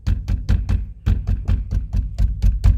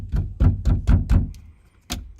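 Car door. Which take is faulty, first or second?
second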